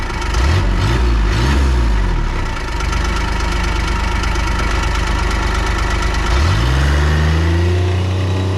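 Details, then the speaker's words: 2001 Kawasaki Mule 2510 diesel after head gasket replacement: loose, irregular clanking rattle of roughly three to four knocks a second at idle, returning after 10 quiet minutes; owner believes it is the CVT, new belt didn't help. "Aside from that, the clanking and the clicking and the whatever loud noises that came from that are still there. That came back 10 minutes after the, turning it on and running it."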